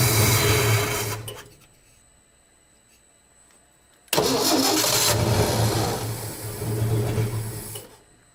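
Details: 1967 Ford F-100 with 240 six, started after sitting 30+ years: the engine catches, fades and dies, then refires and surges, barely holding an idle. Accelerator pump leaking fuel, carburetor likely gummed, fuel possibly low; spark confirmed, owner suspects fuel delivery.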